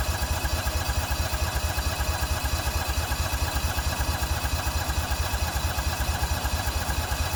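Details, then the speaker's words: Toro Workmaster 3-wheeler under restoration, cold first start of the morning at half throttle, several inches of gas in tank; steady chugging cranking, about ninety pulses a minute, never catching; fuel shutoff heard clicking but no fuel reaching engine. "so so i can hear the fuel shut off but some reason some reason we're not getting fuel so that's what we got going on"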